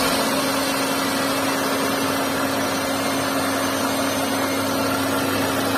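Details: Santro 1.1-litre engine at steady idle with a constant mid-pitched whine over the engine hum; abnormal engine noise whose source is not clear.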